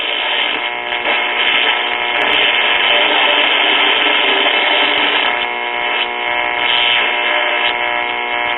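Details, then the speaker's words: 1939 RCA Victor model 96T4 tube radio on an outside antenna with voltage raised: thin, harsh, distorted audio with a cut-off top, station barely held; an open AVC filter capacitor would do this. "I mean, it sounds like it's picking up stuff, but got some issues."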